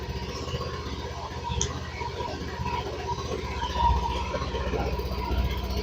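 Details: Honda Beat fuel-injected scooter that had stalled, after oil injected into cylinder to clear valve carbon and restore compression: low, fairly even putter with slight surges when blipped, some smoke from the injected oil; no knocking or grinding.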